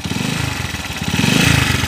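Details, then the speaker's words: Honda TMX155 motorcycle whose owner reports ticking when cold: at idle a rough, rattling churn with vibration on each firing beat, and spinning noise heard as the engine is shut off; worn crankshaft bearings and a bent crankshaft. "oh oh ayun malagitik tapos yung magaspang na umikot dito yung ma- vibrate parang yung kwan niya yal bearing parang yung segal bearing nito mga bro"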